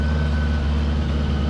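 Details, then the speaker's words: 1975 Honda Gold Wing, 32,000 miles, new Dynatek electronic ignition and coils, warming up before carb sync; choke pushed fully in, almost no throttle cable play, about to back it off. Loud constant drone at raised speed, no hunting. High idle, cause unconfirmed. "push the choke all the way in there's almost no play in the throttle cable I'm going to back it off a little"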